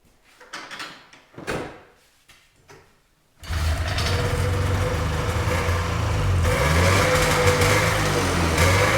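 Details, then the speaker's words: 1979 Ski-Doo Everest 444 liquid-cooled two-stroke snowmobile, first start in 3 years on fresh gas after priming: a few cranking pulls, then fires and settles into a steady even burble with a slight rise; starts and idles cleanly. "all right pretty satisfied with uh getting it started seems like it's running fine as expected"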